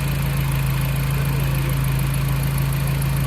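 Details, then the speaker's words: Audi TT Mk1 idling during service with fresh oil, oil filter and air filter, run briefly to circulate oil: smooth, even low-hum idle with no knocks, ticks or misses, "like a Swiss watch"; normal healthy idle. "Swiss watch. >> Sounds good, doesn't it, Dave?"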